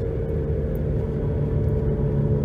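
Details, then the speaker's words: 2011 Nissan Rogue FWD with new balanced tires, coasting down from 60 mph before replacing both front hub bearings; steady low drone fading slightly as it slows, slight pedal and steering vibration, about 72–75 dB at 50–60 mph; worn front wheel bearing. "A nice hum, some vibration in my pedal, vibration in the steering wheel, slight."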